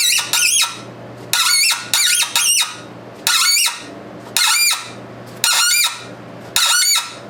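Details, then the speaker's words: Tap cutting threads for a new push rod on a 1919 Domestic side-shaft hit-and-miss engine, with Tap Magic: sharp high-pitched screech about once a second each cutting pass; tool squealing though threads cut cleanly. "but you hear the machine is screaming here screaming through to the camera there so like I say that the threads are coming out beautiful"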